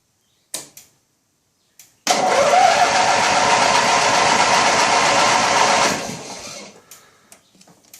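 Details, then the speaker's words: Original 16 hp Briggs opposed twin on a Turf Master lawn tractor, no repairs since new, cold start at about 23–24°C, out of gear, a little choke: brief cranking clicks, then it catches quickly and runs evenly for about four seconds; normal start. "It'll take a little bit, just a little bit of choke to start."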